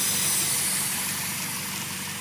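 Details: 2000 Honda Civic Si, B16A2 head on B20 block: loud steady airy hiss at idle from a small black fitting sucking air into the intake manifold (vacuum leak); car sometimes dies at idle; capping the port with tubing stops the hiss.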